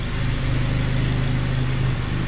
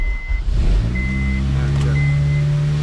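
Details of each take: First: 2002 Honda Civic EP3 hatchback, 17 years old, after cleaning the idle air control valve to cure a surging idle: smooth steady low purr at idle, no misses or surging, no check engine light. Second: 2002 Honda Civic EP3 hatchback, battery weak, needing a jump: idle climbs and sags every couple of seconds in a high-low hunting surge; owner cleans the throttle body and the idle air control valve.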